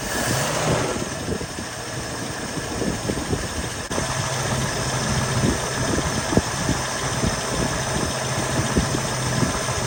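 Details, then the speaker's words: 1975 mail Jeep, first start on gasoline after sitting: uneven idle with sharp, irregular knocks about three a second over the engine rumble. The owner suspects a broken torque converter or flywheel; not confirmed. "It could be something like the uh torque converter or the flywheel. little broken maybe."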